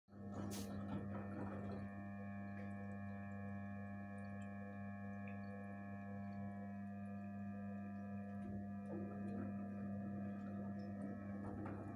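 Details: Gorenje 8 kg inverter washing machine, one year old: a steady hum with a clear whine on top at one unchanging pitch. Strange tonal whine, cause not identified.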